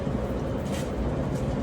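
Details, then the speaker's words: Clothes dryer after door switch replacement, which fixed it running with the door open: low even rumble of tumbling drum and motor with no squeal, thump or scrape; it now stops with the door open and runs normally. "It now turns off when the door is open and turns on with the start switch."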